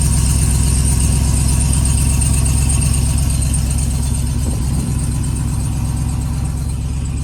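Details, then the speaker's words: Ram TRX with about 470 miles at idle: deep, steady V8 with a faint irregular rattle underneath that gets louder at times. The cause is unconfirmed; the owner suspects a loose skid plate. "it of a rattle underneath so no idea i haven't really beat on it yet i haven't really taken it off-road or anything so i'm not sure if it's like a loose skid plate"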